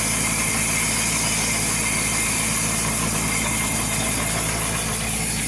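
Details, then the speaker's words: Jacobsen LF1880 mower backlapping five reels on the machine with compound, reels adjusted for more bedknife contact: even, steady hiss and whir of spinning reels with light continuous rubbing; good, consistent blade contact. "when i start this up this reel is going to be screaming but it's not too tight but it's enough contact to get those blades nicely backlapped"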